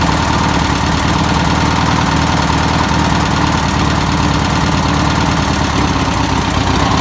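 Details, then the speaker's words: 1962 VW Type 2 van/bus flat-four, first start after sitting over 40 years, fuel poured in by hand: steady, even idle with a smooth low thrum, no knocks, misses or surging; normal idle. "wow it's crazy man I can't believe how good it runs"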